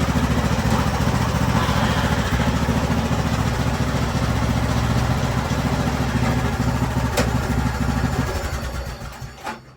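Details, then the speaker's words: Craftsman YT3000 riding mower with a swapped donor engine, on a jumper pack, oil due for a change: small single-cylinder engine runs steady at fast idle during a hydrostatic transmission test, transmission smooth, then shuts down. "That's a win right there. Transmission feels nice and smooth."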